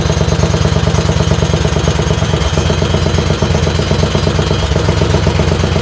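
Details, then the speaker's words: Racing lawn tractor on its second run, warming up, with a couple of baffles and drilled holes added to the exhaust: hard, deep exhaust pulses, better than before but still too loud. "Uh the exhaust sounds better, but I think it's still too loud. It does sound better. It sounds like before it was really loud."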